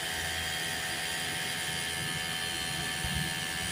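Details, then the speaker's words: Suzuki Satria FI150 radiator fan, ignition on, heat sensor warmed with a lighter to test it: a steady whirring hum at constant pitch with no rattle or rubbing; the fan and the heat sensor both work. "udah nyala ya, berarti kipas radiatornya berfungsi dan ini sensor panasnya juga berfungsi."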